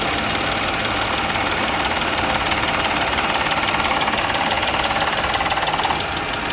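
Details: Audi B8 S4 petrol engine idling with a steady, sharp ticking knock about three times a second; owner suspects timing chain issues or rod knock, not confirmed.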